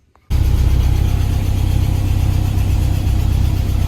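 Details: Porsche 968 started after a new cam chain and tensioner pads were installed and the engine reassembled, checking that the belts don't squeal. It catches and settles straight into a steady, even idle with a smooth low rumble and no ticking or rattle: normal idle.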